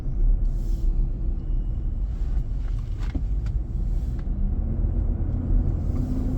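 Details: New 2023 Nissan Armada, about 4k miles, driving on a hot day, cabin near 95°F: loud steady low roar over road noise that fades then returns; happens almost daily. Fan clutch roar.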